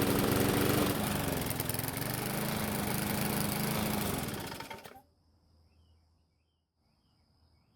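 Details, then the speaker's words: Bolens mower with a Briggs engine, run with the air filter off: slow, unsteady running that wavers in speed before dying. The governor spring and throttle need adjusting, and the poor running was traced to a distorted carburetor diaphragm. "But before we do that, we need to find out why this engine is running so poorly. And about the only thing we haven't looked at so far is the carb. And in this case, we need to inspect the diaphragm."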